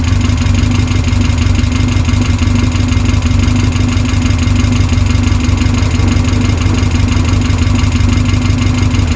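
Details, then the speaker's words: Westfield SEiW kit car engine first run after 7 years, following a new cambelt kit, with no coolant in yet: steady, even tick-over with no knocks or misses, sounding healthy. "I'm well chuffed about that. I don't want to leave it running too long because we've not got any coolant in at the moment, but sounds good though. Sounds really good. Ticking over lovely, considering that's not been run for 7 years."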